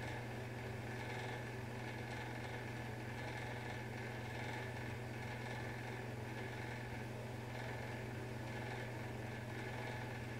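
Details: Bathroom exhaust fan humming steadily low with a light buzzy rattle coming and going intermittently, returning days after a May 1 service; a deep hum had also grown louder over months.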